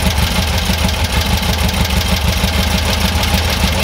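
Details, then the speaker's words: Air-cooled VW bus engine, freshly rebuilt, with dual carbs being balanced to an airflow meter reading of about 5 on each side: steady low idle with an even beat that climbs slightly in speed as the carb is adjusted; idle coming up to near the desired speed. "the motor starting to rev up a little bit there we go we're at looks like we're at five right there"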